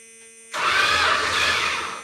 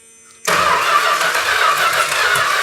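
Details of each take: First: 1971 Chrysler New Yorker 440, low mileage, parked 20+ years, first crank after oil priming with plugs out; brief even starter whir about 1.5 seconds, no compression chuffs; engine turns, normal cranking. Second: 1971 Chrysler New Yorker 440, parked 20+ years, first start attempt with fuel pump feeding carb; ragged, uneven spitting crank about four seconds, no catch, spitting out carb primary; owner suspected stuck valves, but distributor was misindexed, timing wrong.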